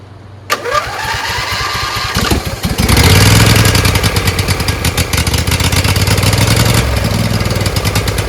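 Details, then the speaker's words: Briggs Intek V-twin on a Craftsman LT1000, just after a sump gasket repair and engine refit: it cranks, catches, then revs rise and fall unevenly. Owner thinks the homemade governor spring is wrong, since it runs fine when he holds the linkage by hand. "So it runs, but it surges. I think it's that spring thing is wrong. When I put pressure with my hands, it runs pretty good."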